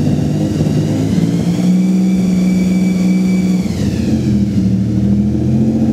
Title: strange engine sound vg30dett